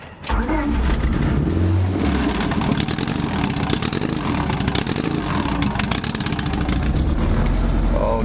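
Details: Honda EK Civic B18 LS VTEC, later confirmed to have a cracked cylinder sleeve, driven home with the check engine light on: loud, uneven, lumpy running under throttle, missing on one cylinder and struggling up hills.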